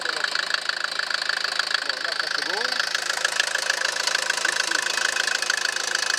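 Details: Mercedes Vito 110 TD diesel running for a leak check after the injection-pump delivery valve holder seals were replaced. Even clatter at about 200 beats a minute holds steady with no misses; healthy normal idle.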